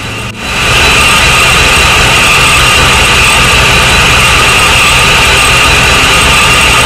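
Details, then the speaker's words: Supercharged Corvette V8 after setting fuel pressure (target 40-42, stock 36-39): catches and holds a steady idle with strong supercharger whine, no hunting; runs well though some issues remain. "there you go man it sounds pretty good there's still some uh issues going on but for the most part it's alive"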